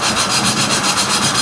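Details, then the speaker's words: VW Type 4 air-cooled engine rebuild for a 1972 Porsche 914: rhythmic gritty rasping at about six strokes a second as a valve is lapped by hand with coarse compound, the sound smoothing once the valve seats. "back and forth in the hand you can almost hear the sound change when it gets a seat yeah i heard that smooths out now"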